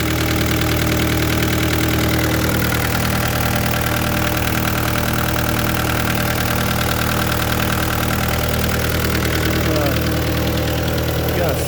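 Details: 2013 Vermeer SC602 stump grinder, rebuilt Cat 2.2 L 3024C diesel with rebuilt injection pump, 1,040 hours on meter, under an hour since rebuild: loud, even clatter at steady idle, unchanging rhythm, no misses or knocks; healthy.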